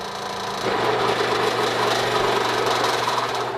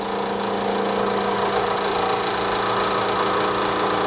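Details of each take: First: Three-phase AC motor fully loaded and single phasing: heavy strained hum and rattle as speed drops toward stall. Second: Three-phase AC induction motor at full braked load, about 1700 rpm, normal three-phase running: steady even hum with constant pitch, no knocks or rubbing.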